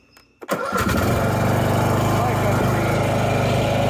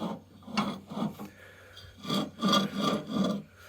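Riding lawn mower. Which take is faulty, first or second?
second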